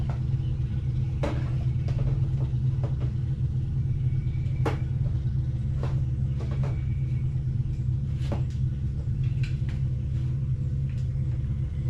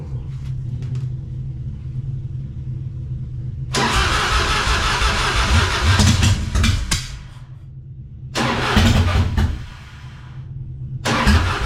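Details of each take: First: 1999 Harley-Davidson Fatboy after gas tanks cleaned and reinstalled, running on a jump box: deep steady low rumble, a few light clicks on top; the V-twin runs healthy. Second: 1999 Harley-Davidson Fatboy V-twin on a jump box, first start attempt after the gas tanks were cleaned and reinstalled; owner wonders if the carburetor needs work. Low rumble, then ragged cranking bursts that stop and restart without settling into idle.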